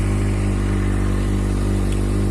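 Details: Kawasaki Z750 four-cylinder with a valve-like tapping traced to leaking exhaust header gaskets, after new gasket rings: smooth, even idle with no ticking or puffing at the headers. An error code 67 appeared, which the owner suspects is an unplugged lambda sensor connector.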